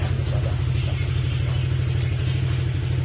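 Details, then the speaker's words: Honda Click 125 scooter after engine overhaul: steady low drone with no rattles or knocks; engine now runs fine. "bale okay na to mga sir narinig naman natin na Kumander na yung motor Okay na siya"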